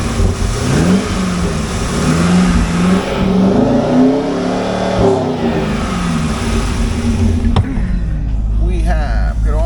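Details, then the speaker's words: 2004 Chevrolet Corvette Z06, 5.7L LS6 V8, 6-speed manual, 102,248 miles, good oil pressure: strong revs climb and drop cleanly with no knock, tick or miss. Normal engine revving. "But it sounds good, it runs good. Good oil pressure."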